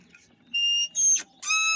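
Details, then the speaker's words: DIY electric go-kart with repurposed hoverboard motors: the EMT conduit frame pivot, using a pipe connector with a plastic bearing, gives three short, shrill squeaks as the joint moves; the owner plans to fit nylon bushings. "I could get uh some some way of bearing you know plastic bearing inside there but even so this is squeaking"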